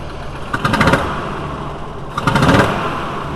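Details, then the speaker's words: VW T4 2.5L with intermittent rough running in a specific temperature range when cold, smelling rich: uneven idle with rough surges about two seconds apart; cylinder one wet, intake valve suspected staying open, later found to be a broken intake valve spring. "I'm gonna touch a vacuum huge and see if I can get the pressure pulses on the vacuum gauge it's got to be a valid staying open"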